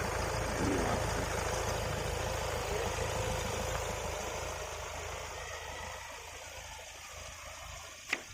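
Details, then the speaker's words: Kia Carens 2022 Prestige 1493cc diesel being revved: quiet, even note that rises and eases back smoothly with no knock, rattle or whine; engine is fairly silent and healthy. "मेरे हिसाब से तो जो किया कि range का engine है diesel engine वह काफी साइलेंट है"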